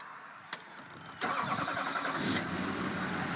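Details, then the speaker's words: 2001 HD2500 Duramax turbo diesel, 181,000 miles, restart after running the plow: brief crank, catches at once into an even diesel clatter; clean quick start. "okay that's what the glow plugs on starts right up"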